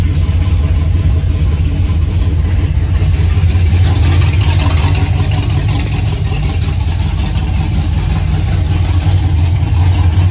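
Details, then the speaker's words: 5th-gen Camaro V8 on its first start-up after broken-piston repair, DOD/AFM delete and Texas Speed 224R cam, no AC belt because the compressor is gone: deep, lumpy idle with a choppy cam beat, firing evenly without knocks or ticks; running fine. "the cars seems to be running pretty okay and it doesn't have an AC belt because the compressor is completely gone"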